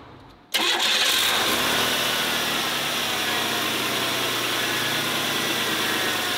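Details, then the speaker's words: 1991 Oldsmobile Ninety-Eight 3.8L 3800 V6 after new spark plugs and thinner plug wires: cranks and catches at once, settles to a smooth, even idle with no stumble or miss, slightly smoother than before; sounds healthy. "so far runs about this time maybe a little bit smoother you guys just won't be able to see it on camera it's not moving very much at all a little bit better that sounds pretty healthy"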